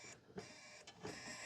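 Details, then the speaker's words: Dixie Chopper zero-turn mower no-start: key turned with drive handle in, carburetor solenoid clicks, thin electrical buzz with brief clicks from under mower, no cranking; cause found to be faulty starting module (ignition switch also bad). "Still got nothing. Oh, handle's in. Come on. I hear something buzzing."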